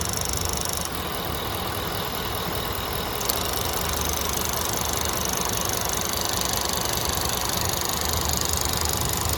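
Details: 2013 Ford F150 FX2 5.0L V8 idling with a light, regular ticking from the purge valve, two to three ticks a second; codes P2196, P2198 and P1450, with misfire and hard starting at or below a quarter tank. Cause undiagnosed.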